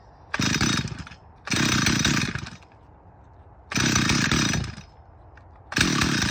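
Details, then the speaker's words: Stihl 044 chainsaw with blown motor rebuilt using cheap Amazon kit (cylinder, piston, carburetor), OEM coil, carb tuned for summer; revs crisply in bursts, drops cleanly to idle, pulls strong; normal running. "For a cheapy Amazon rebuild kit, I'd say it's running pretty good."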